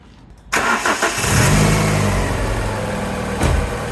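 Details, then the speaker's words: Japanese-import Alfa Romeo 145 Cloverleaf, nearly 25 years old, after about 2 minutes' running: engine catches after a short crank and settles into an even, steady idle with no knocks or ticks while warming up before the thermostat opens. "So let's warm the engine up a little bit more and see how much this changes."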